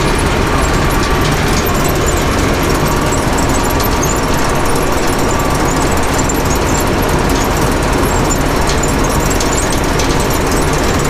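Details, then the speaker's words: Gleaner combine being revived for first harvest in about 20 years, after raddle chain replacement, separator running as elevator brings material up: steady drone with faint irregular metallic clangs in the grain elevator; cause not confirmed. "something's got a little bit of a clang to it and this is your separator disengage"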